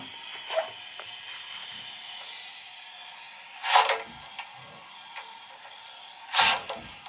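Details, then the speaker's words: Water heater of about 25–30 years, re-energized after several days off, recorded with the camera close to the temperature and pressure relief valve. A faint constant high hiss under a few clicks is water leaking through the valve to the drain; the valve is due for replacement. "okay we're going to replace a leaking temperature and pressure valve and I'm going to put the camera closeup to it and I think you can hear it leak through"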